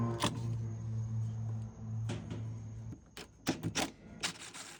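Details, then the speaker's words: Whirlpool/Maytag washer not washing. Low motor hum, then irregular scraping clunks as the tub turns: the splutch is contacting the pulley. "Now the next clip is going to be a washer, and you'll hear the noise that it's making, and that is a sign that the Splutch is coming in contact with the pulley."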